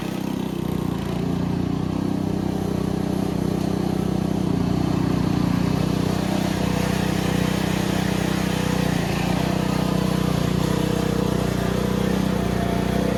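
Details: Simplicity Serf small engine after carburetor cleaning, riding under load; loud, steady drone holding an even beat with no misses or surging, running healthy.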